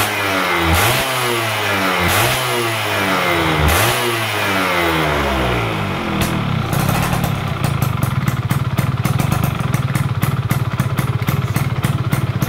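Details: Stock F1ZR two-stroke during a wet carburetor tune: with the air screw at about 2.5 turns out, three quick clean blips are followed by a crisp rattly idle with no bogging; normal revving.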